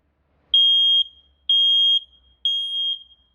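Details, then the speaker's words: Smoke detector on adapter power keeps alarming after dense test smoke, not stopping after two beeps; shrill high half-second beeps in sets of three repeating steadily. "böyle bakalım ne kadar sürecek yani 2 ötüp bırakmıyor arkadaşlar ötmeye devam ediyor ötmeye Devam ediyor"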